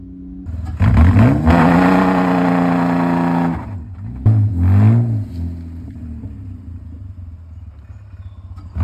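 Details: BMW E36, nearly 30 years old, after misfire repair replacing knock sensor, coolant temp sensor, MAF, coil packs and spark plugs: revs up cleanly, holds, drops, one quick blip, then settles to an even idle; healthy running.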